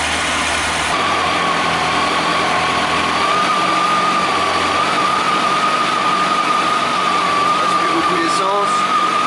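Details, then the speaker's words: Kawasaki ZX12R just started after reconnecting the battery, before throttle-body synchronisation, idle raised: even, slightly raised idle with a faint whistle on top, no knocks or misses; clean cold start. "Hop, on démarre la moto. Je mets un peu plus de ralenti."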